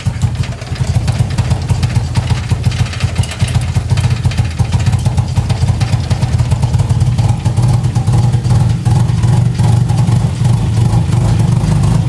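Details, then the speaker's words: 1986 Mazda RX-7 FC non-turbo rotary idles fine, then turns lumpy and chugging with irregular dips, running really rich, also on highway; unplugging the TPS made no change and TPS gave no resistance reading; cause not found. "So it'll idle fine for a bit, and then it'll just start chugging away and running really rich."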